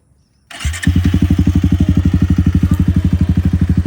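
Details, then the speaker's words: Pulsar 220 motorcycle after installing a brand-new starter motor: clean, quick start with no grinding from the starter, then a steady single-cylinder idle of even pulses, about four a second; starting noise fixed. "finally, the starting noise is gone and I can peacefully practice stunts on my machine."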